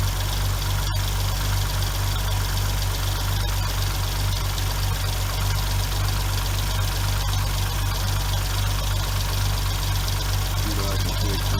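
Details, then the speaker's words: 2006 Hyundai Tiburon 2.7 V6, 6-speed manual, idling: steady light tick about four a second from hydraulic lash adjusters clogged and not oiling; fixed by replacing adjusters (plus timing belt, water pump), removing about 90% of the ticking. "2006 under on infamous lash adjusters ticking noise we're going to start removing the valve covers in teh model body and try to repair these flash adjusters we have a problem of getting clogged up not getting oiled correctly making a loud ticking noise"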